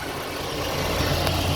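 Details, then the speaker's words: Alternator at idle: light, even shushing hiss with no popping or crackling; normal brush noise, whereas popping sounds would indicate a fault. "就是有那种沙沙沙沙沙那个声音是正常，但是你如果说有啪啪啪啪，那个就不 OK 啦"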